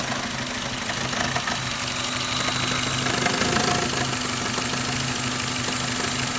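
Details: Suzuki Ignis M13A petrol engine idling with a steady knock about three per second that tracks engine speed; internal engine knock, source still to be pinned down.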